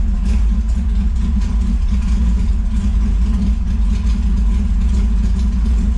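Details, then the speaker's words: TVR Cerbera started after new clutch install and Tilton slave cylinder reseal, both throttle position sensors set to about 15%: deep, steady low rumble with even beat, no knocks or rattles; normal running. "go all right well she's running"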